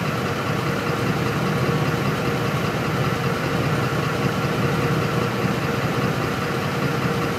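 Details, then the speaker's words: 2004 Ford F-150 5.4L V8 that stalls when hot and won't restart until cool (pump and rail pressure sensor already replaced, codes P0191, P1233): uneven loping idle with ragged thump, faint knocking, fuel pressure erratic around 9–10 psi; rough idle from faulty fuel pump driver module. "I'm going to let this thing die real quick this pressure just all over the place it's actually running on its own right now"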